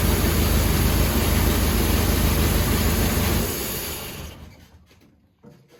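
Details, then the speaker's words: 1953 Kaiser Dragon Super Six, sat about 30 years, first start with starting fluid; idles with a steady, even low knock about three per second, cause unconfirmed, knock seemed to be easing, then shuts off. "I don't know, was the knock starting to go away? Mm-hmm. Oh, good."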